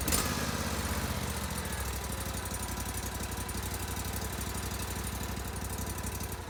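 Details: GatorTail 35GTR mud motor, hot, with Backwater Performance Systems exhaust, baseline before carb, intake and exhaust upgrades: quick, even thumping beat at idle and through light revs, smooth with no knocks or misses.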